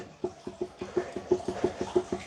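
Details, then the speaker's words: 2010 Dodge Journey on jack stands, front wheel rocked by hand: sharp, evenly spaced clunks about six a second from play in the driver side outer tie rod end, worse than passenger side, boots torn; both to be replaced. "do you see that play do you hear that play I'll uh put you under the car and show you exactly where it's coming from right now you're looking at the driver side tie rod end"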